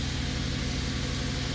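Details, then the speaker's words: 2009 BMW 750i with 167,000 miles, warning lights on, car shaking while running: uneven, lumpy stumbling idle that never settles; rough idle misfire, owner plans to replace ignition coils and spark plugs, cause unconfirmed. "you can hear how it sounds i don't have a cover for it so i'll need to get one the car is even shaking while the engine is on and stuff like that"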